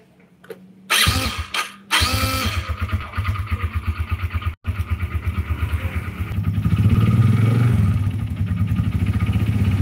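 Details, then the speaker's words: Yamaha Jupiter Z single-cylinder motorcycle catches after a few kicks, then a heavy, steady knock rides each firing stroke, deeper than clutch rattle. It is a connecting rod knock, not the clutch some suspect. "ada satu unit jupiter-z yang bunyinya itu kalian udah denger tadi di awal dan itu gejala suara dari stang seher nya"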